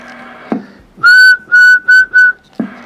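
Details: Galaxy Saturn CB radio on the bench, with a faulty frequency counter display and only 1–2 W output, on USB sideband: loud, steady high whistle cutting in and out in short bursts on each keying; cause not yet found.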